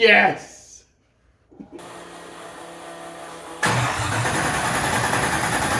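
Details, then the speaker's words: Newly built 6.2L L86 Gen V LT V8, Holley Terminator X EFI, BTR 225 cam, first start with coolant, open headers, no O2 sensor: brief crank, catches and settles into loud, steady, even rumble; clean healthy start. "it's just a good feeling to hear this engine run it actually isn't terribly loud even though the headers just dumped straight to the floor uh it's not as loud as I was expecting"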